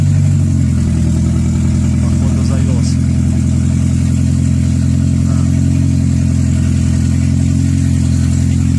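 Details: 2006 Toyota Prius with code P3193 after refuelling an empty tank: engine running steadily with a deep, loud, raw drone far louder than stock because the catalytic converter was stolen from the exhaust.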